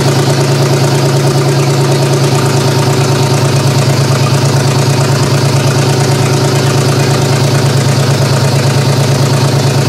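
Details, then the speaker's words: GM 3100 V6 swapped into a Toyota Camry derby car, first start-up with rigged wiring: loping idle with steady stumble, cylinder two (owner thinks) not firing, misfire; big vacuum leaks noted, owner suspects coil pack, cause unconfirmed. "there's some big vacuum links but cylinder number two which it is I'm pretty sure it's this one 3d pretty sure it's this one you're not firing"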